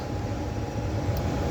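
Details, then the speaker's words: Furnace after replacing a locked-up blower motor with new motor and new capacitor, old bracket reused: low, even hum with faint steady tone, no grinding or rattle; blower running smoothly. "we put a new motor in new cap I reuse the same bracket and she's buring like a kitten"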